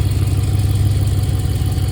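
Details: 2013 Dodge Charger idling after a water pump replacement while the cooling system is being bled. It is a steady, smooth low idle with an even rumble and no knocks, squeals or ticks, so the engine is running normally.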